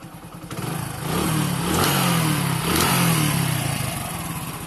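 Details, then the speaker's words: Hero Honda bike: as it accelerates, a rattling clatter rides over the engine note and follows the throttle, traced to a loose flywheel nut. "जैसे ही मैं accelerate कर रहा हूं तो पीछे से cutter cutter engine से ऐसी को चटकने की आवाज आ रही है"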